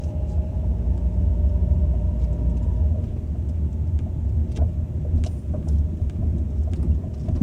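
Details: Ford Focus 2 driving: over steady road rumble, irregular sharp knocks about every second, suspected steering rack knock.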